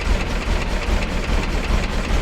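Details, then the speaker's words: 1953 Willys Jeep CJ-3B, first run after sitting three years, just started once the distributor rotor was installed; cold engine idling on full choke with a deep, slightly lumpy but steady low rumble; idle not yet adjusted. "listen to that i don't even like you guys just watch the dark chokes on full i don't know how long it'll take to warm up"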